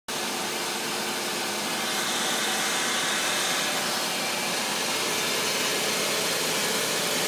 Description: Is it a lifter, valve, or timing chain? Anybody recognize that knock help me out :) thanks